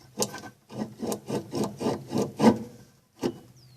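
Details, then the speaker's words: Electrolux washing machine that won't spin, belt removed, motor turned by hand: rough dry grinding rasps about four a second from worn motor bearings; motor itself not burned out. "estão entendendo o barulho o que você está ouvindo e que esses rolamento estão tendo cada um olha que o pessoal está fazendo uma força lascada aqui pra poder fazer a rodear"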